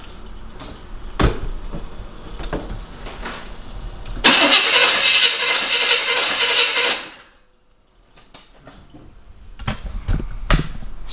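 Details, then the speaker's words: 1975 Chevy K5 Blazer that sat 12-13 years, cranking with new plugs, wires and a new distributor: even starter churn but no start because there is no spark. Later traced to a distributor-to-cap wire that had fallen off its connector. "for some reason there's still no spark so I have to do some more digging to find the problem"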